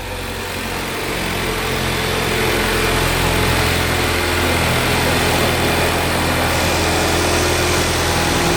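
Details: Flood-damaged salvage Ford Focus RS, first start after oil flush and cleaned BCM/ECU, smoking while warming: held at raised revs, climbs smoothly and even with exhaust crackle, no knocks, misses or rattles; running healthy.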